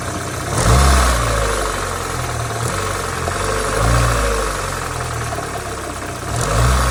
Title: ZX engine knock when up to temp.